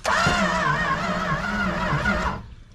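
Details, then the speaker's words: 1968 Plymouth Road Runner parked since 1985, fuel pump hot-wired to the battery and starting spray tried: about 2.5 seconds of wavering cranking with no firing. Crank, no start. "go ahead Time After Time the car would not start"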